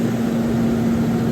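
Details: CaptiveAire kitchen hood exhaust fan with a newly installed motor drawing 3.5 amps. The old motor likely failed because of the variable-speed potentiometer. An even airy rush with a steady mid-pitched hum and no rubbing or rattle: normal running.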